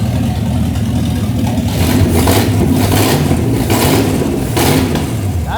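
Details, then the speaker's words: 1968 Pontiac Firebird V8, over 200,000 miles, parked in a flooded field since 1984, first start after revival: deep rumble catching and revving cleanly, steady beat, no knocks or misses; engine good for first 30 seconds. "Okay, that engine's good right now for the 30 seconds we've ran it."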